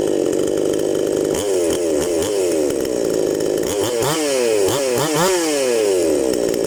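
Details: New chainsaw, fresh out of the box, that at first would not start despite tuning and a good spark check, now running after the fix. It runs steadily, then its pitch dips and swoops as it bites and clears under load, revving and cutting normally.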